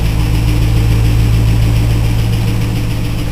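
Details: 2000 Trans Am LS1 V8, 95k miles, FAST 92mm manifold, 92mm throttle body, SLP FlowPac, 3.90 gears, idling with a quick even tick about four per second; tick just started, oil fine, likely valvetrain, cause unknown.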